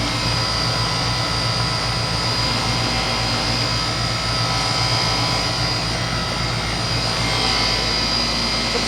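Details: 2004 Goodman 10 SEER 3.5-ton heat pump outdoor unit running in 90°F heat: even, unbroken fan rush over a low compressor hum with no rattles or knocks; runs healthy.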